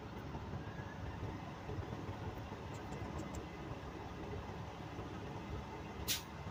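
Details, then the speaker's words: Diesel tractor idling during a CDL governor test as air builds from about 100 PSI, then a sharp short hiss near the end as the governor cuts out at 125 PSI and the system purges. "All right, Patrick, my governor cut off at 125 PSI."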